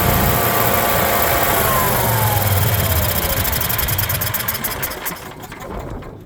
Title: generac hard start